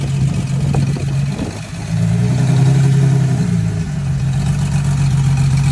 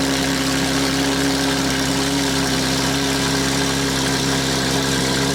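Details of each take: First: Porsche GT3 RS flat-six at light throttle, misfiring during normal driving, plugs and coils unchanged for 24,000 miles: uneven stumbling beat with dips in the note; misfire suspected from plugs or coils, later replaced. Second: Porsche GT3 RS flat-six that had been misfiring, idling after new spark plugs and coil packs were installed. Steady, even idle with a constant hum and no stumble or missing beats; it is running cleanly and healthy.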